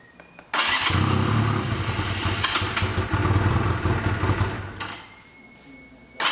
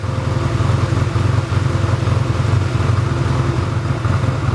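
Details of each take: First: 1985 Honda Rebel, 2000 miles, first start after 17 years stored, cold on choke: single barks into life, idles unevenly with stumbling beats then fades; won't rev, smoked heavily while warming. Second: 1985 Honda Rebel with 2,000 miles, stored about 17 years, idling while warming up after its first start: steady, even low thump with no misses or knocks, a normal healthy idle.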